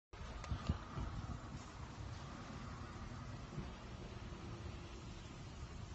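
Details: 2003 Honda Accord EX with 3.0 J-series V6 petrol: low, uneven idle with irregular thumps breaking the rhythm, a misfire; three mechanics gave three different diagnoses.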